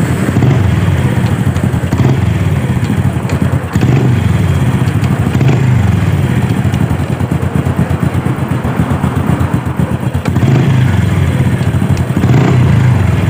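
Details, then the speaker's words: Supra motorcycle engine revved and let drop back: a light tak-tak-tak clatter comes in as revs fall on deceleration; owner suspects the clutch area inside the right-side crankcase. "uh ya saat kita gas nih ya dia akan ada suara saat turun RPM saat kita turunkan gas di ada suara tak tak tak bisa teman-teman dengarkan nih"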